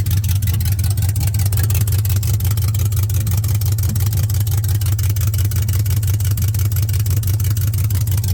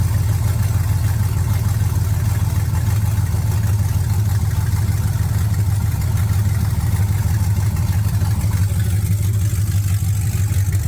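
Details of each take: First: 1979 Camaro with LS swap: loud, deep, pulsing V8 rumble with a slightly uneven beat at idle; runs rough with essentially no exhaust pipe past the oxygen sensors. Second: 1979 Camaro with LS swap, idling with no codes after the transmission harness plug was properly seated: deep, even, steady low rumble with no knocks or misses over eleven seconds; engine runs healthy.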